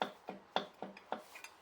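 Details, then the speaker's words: Rover V8 being rebuilt to replace a Hemi 6.1; crank shoved back and forth gives sharp metallic clacks about four a second – excessive crankshaft end float, knocks you don't want when running; crank to be removed to inspect shells. "you know I've supported off some end floors but this has got quite a lot of end floors and can you hear that that means it crank is moving like that and you don't want knocks like that when the car's running"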